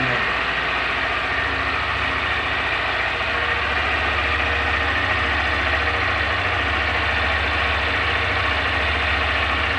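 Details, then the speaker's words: Cold first start of a 2021 Honda Fan 160 engine: the small single idles evenly with a steady, quick putter and no knocking or rattle; owner hears none of the engine noise others report; normal idle. "Assim, eu não vejo esse barulho todo que os caras falam não, sabe?"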